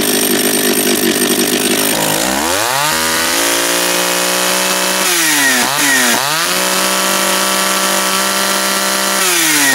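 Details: Japanese-made John Deere EV45 two-stroke chainsaw after carburetor rebuild, first start, no chain brake: revs up crisply, settles to a clean steady pitch and picks up smoothly again without bogging; running right.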